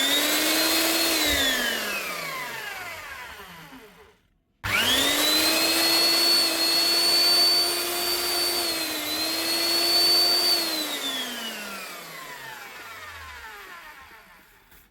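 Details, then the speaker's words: Eibenstock 1700 W diamond core drill reported not running: motor whines up, cuts out completely, kicks back in and runs down; start-stop traced to a broken power lead at the non-locking plug, lead and plug replaced. "Okay. Might be just a lead problem. Start and stopping."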